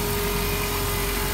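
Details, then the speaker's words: 2007 Dodge Grand Caravan after fixing a misfire from a broken ignition part leaking electricity: even idle with a steady hum and no stumbles or misses, sounding much better and no longer dieseling. "oh she sounds way better not dieseling anymore either"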